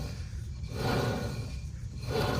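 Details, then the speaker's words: Mitsubishi CK2 rear suspension: low gritty rumble swelling and fading with each wheel turn; rear wheel bearing pair worn, with all four bearings to be replaced. "ฟังเสียงลูกปืนล้อนะ"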